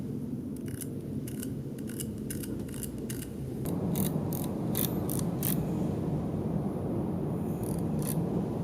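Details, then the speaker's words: Yashica 1970s–80s manual prime lens (135mm f2.8, 28mm f2.8 or 50mm f2) adapted to Micro 4/3: crisp, unevenly spaced clicks as the aperture ring turns through each stop; normal clicked (not de-clicked) detents, no fault. "now these lenses are clicked they are not d-clicked so each time you change the aperture or whatever it makes this sound check it out"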